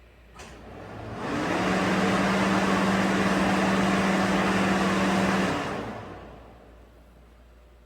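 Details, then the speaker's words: 2012 Ford F-150 after a parasitic battery-drain fix, low-speed cooling fan relay installed, codes cleared, key-on engine-off self-test: a fan spins up, holds a steady low hum about four seconds, then winds down smoothly; radiator cooling fan works normally, no codes. "no codes so the radiator cooling fan works now"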